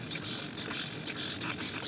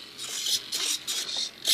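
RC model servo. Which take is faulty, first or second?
first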